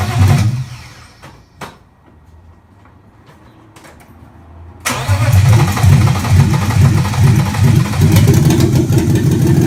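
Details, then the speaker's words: 1995 BMW 325i E36 M50B25 engine run before being pulled for a swap, with the exhaust removed so it runs straight off the headers: silence, then it fires into a loud, deep raw bark with short revs kept under 3000 rpm; it runs. "and another thing that exhaust is off so this is straight from the headers it's going to be loud"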